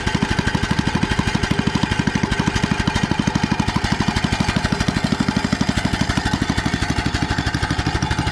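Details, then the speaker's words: Troy-Bilt tiller in neutral with a little choke, reported to lack power and miss at idle: steady fast chugging about three beats a second that lacks punch; the carb is suspected of not getting enough fuel. "that's the misfire that he's talking"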